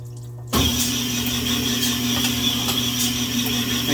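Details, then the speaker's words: Honing a salvage Nissan Z24 block (D21 pickup) for a re-ring: hone starts slow with a sharp whir, then rhythmic stroking rasp with uneven catches each pass from an out-of-round cylinder. "you can see that one's got some out round you can hear it probably noticed when this thing starts stroking at first it starts out slow"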